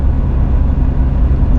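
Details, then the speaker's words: Mazda MX5 cruising in fifth gear at 40 mph, 2000 rpm, after fitting stiffer aftermarket engine mounts, poly bushes, wishbones and subframe: steady low drone, smooth and even, no knocks; healthy and more refined than the old mounts. "Okay, this is like as good as I'd expect for mounts that are supposedly 60% stiffer or 40% stiffer than OEM. I'm in fourth. This is fifth gear now at 40 miles an hour, 2000 RPM."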